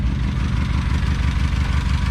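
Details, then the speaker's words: 2007 Honda Civic at idle with a cylinder misfire code (read as P0302): uneven, lumpy thumping with a stumble every few beats and heavy shaking, one cylinder misfiring. "it's got a po3 zero too similar to misfire detected so we're gonna check here see if that cylinder is really bad"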